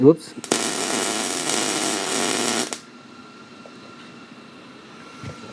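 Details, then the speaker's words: Beginner MIG welding a crossmember repair on a 1988 Chevy Silverado frame: a short two-second burst of harsh, uneven crackling arc. Suspected travel speed too slow, wire speed and heat slightly too high. Cause not confirmed. "might not be moving fast enough slow that wire speed down a little turn the heat down just a smidge"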